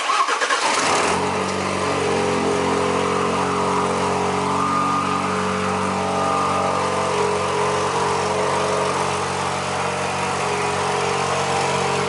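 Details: Alfa Romeo cold start after replacing the broken coolant hose from the reservoir tank and refilling coolant: engine catches quickly and settles into a steady, even fast idle with no knocks or misses; healthy cold start.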